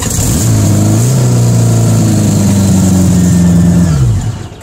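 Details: 1975 Honda Goldwing GL1000 converted to 2003 Dodge Neon ignition coils after original coils failed, crossed wires corrected: engine catches, revs cleanly to a steady held speed, drops back evenly; runs smoothly on all cylinders.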